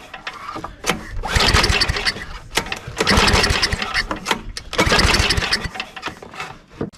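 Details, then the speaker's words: Abused self-propelled snowblower, 5hp Tecumseh single-cylinder, spark confirmed, no air filter: catches in short revving bursts, then sputters and dies. Owner suspects a carburetor issue; starts briefly then stalls. "well we definitely have a spark so that's telling me is probably a carburetor issue"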